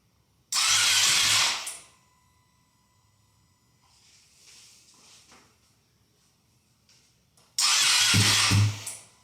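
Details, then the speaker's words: Ducati V2 Bayliss rebuilt from a wreck, start attempt in neutral with little fuel and the ECU unbolted: two sluggish one-second cranking bursts that never catch; battery suspected weak, not confirmed. "Oh, getting close. Sounds like the battery's a bit dead."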